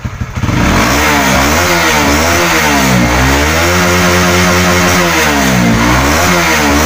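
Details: Honda CB150R after a service with a new fuel filter, fuel pump pressure near 40, fixing stuttering at high and low rpm: clean blips rise and fall smoothly with no stumbling or popping, and idle is normal.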